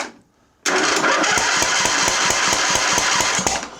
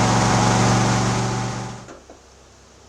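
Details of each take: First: 2007 John Deere LA135 Briggs V-twin, misfiring last season and now won't start: cranking with the air filter off gives sharp regular pops barking out the intake/carburetor, about four per second; valve train fault on the intake side. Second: 2007 John Deere LA135 Briggs V-twin after replacing the right-side (number one) cylinder head for valve guide failure, started on booster with choke up and a little throttle: runs smooth and even at part throttle, then winds down cleanly; healthy.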